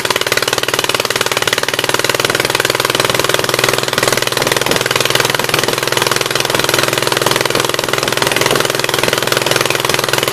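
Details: 1976 Gravely 816 restarted while blaster is sprayed into the carburetor throat: a rough, uneven idle with a loping beat about three a second and a hollow pop. A misfire; the owner suspects a stuck-open exhaust valve on one cylinder.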